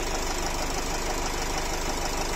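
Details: Nissan X-Trail 2.0 dCi diesel, 250,000 km, crankcase blow-by present, no error codes, a squeal reported: a dense, steady knocking under the diesel idle, consistent with a worn connecting rod bearing.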